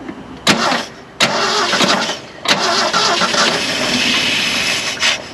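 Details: Classic Ford F150, sat about 29 years, cold and windy, on a makeshift fuel line: several short cranking bursts catch briefly then fade before it picks up; hard starting from fuel starvation.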